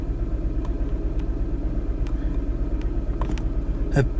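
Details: 2015-era unknown—skip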